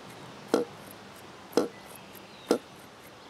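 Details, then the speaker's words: Saito FA-82a four-stroke model engine, long stored improperly, turned past compression: four short hollow burps about a second apart; exhaust valve spring fully compressed in storage took a permanent set, also causing poor peak RPM. "I'm hoping you can hear that. It's like a burping sound."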